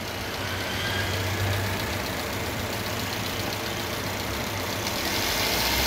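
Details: Maruti Eeco (petrol/gas) after cleaning carbon-fouled injectors that caused misfire on all four cylinders (codes P0300–P0304, cylinder 4 injector circuit low, P2271, no load): steady even engine note, no stumbles; normal running.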